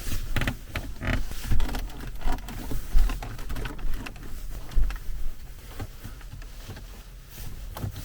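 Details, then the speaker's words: Squeaking centre-console trim panel on a Range Rover Evoque, heard while driving: short, irregular bird-like chirps over low road rumble. The owner's sprayed grease had dried and clumped in the gaps. Fix: strip the panel, board and buttons and treat each gap. "여기가 소리가 완전 새소리같이 나왔고 너무 신경이 많이 쓰여 가지고"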